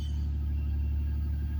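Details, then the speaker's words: 2006 Ford Taurus SE, 195,926 miles, idling after start: low steady rumble at an even idle with no misses or knocks that calms down after running a little, a normal warm-up; loud exhaust from a suspected muffler hole. "Calms down, there it goes. Calms down after it runs a little bit, like they all do."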